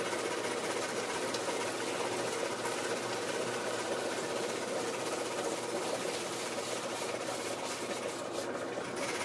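A fast, steady clatter runs throughout the washer's cycle. Something mechanical is rattling, but the sound alone doesn't pin down the source.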